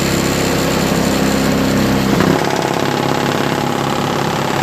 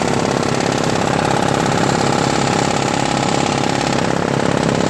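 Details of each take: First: Craftsman 5HP 22-inch single-stage four-cycle snowblower with electric start, fitted with homemade floor-mat auger paddles: steady, even engine drone with a small pitch dip, no knocks or misses; runs really well. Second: Craftsman 5HP 22-inch single-stage snowblower with new homemade floor-mat auger paddles: steady engine drone with a slapping scrape about three times a second; paddles too long, rubbing the scraper bar, to be trimmed.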